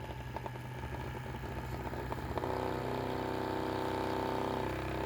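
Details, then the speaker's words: 3D-printed pulse motor running off a supercapacitor bank at about 10 volts: quick steady ticking around four per second, then a harsher buzzing drone; noise source unclear. "I don't know where that noise is coming from oh I see the whole thing is sliding out"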